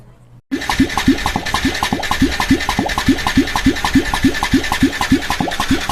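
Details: Yamaha Tricity 125 (SEC1J) scooter cranking quickly and evenly at about three and a half beats a second, never catching; heavy blow-by, piston and cylinder found badly worn, insufficient compression so engine won't start.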